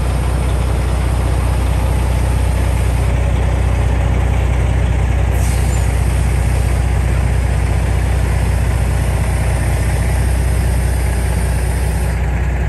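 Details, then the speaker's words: 1987 GMC General converted RV: deep steady idle with a constant airy hiss from a leaking front-axle air brake relay valve; at idle it holds only 90–94 psi, not over 100, before the relay is replaced. "You can hear how bad that leak is. In fact, at idle, I couldn't get the truck to maintain over 100 pounds of pressure."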